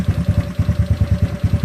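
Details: GY6 scooter engine with battery reading about 13.2 volts and the rpm adjustment not taking effect. Lumpy, uneven chugging idle at about eight beats a second, with missed and weak pulses and revs sagging as if about to stall.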